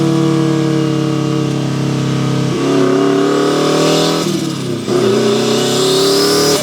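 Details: Turbo Mazda Miata, built 1.6L with a new head gasket, new clutch and flywheel, and a custom unequal-length turbo manifold giving a Subaru-like sound, running about 14–15 psi boost on a final drive. Strong, raspy exhaust pulls through the revs with clean gear changes and no rattles or misses: a healthy turbo engine under acceleration.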